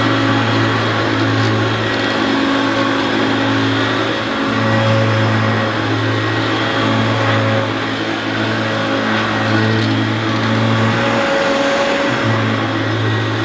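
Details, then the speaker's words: Oldish Hoover U2716 Turbopower Boost bagged upright vacuum: steady low hum with even fan tone and slight rattle, speed constant; motor sounds sweet and relatively quiet, normal running. "I think that motor does sound pretty sweet and relatively quiet"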